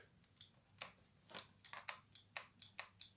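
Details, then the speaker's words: Morphy Richards Steam Power Elite steam iron opened up; light crisp clicks about twice a second over near silence as the switch in the top cycles normally; if the clicking stops, the switch has failed. "hear that clicking? If it stops clicking, the switch in the top of there is gone."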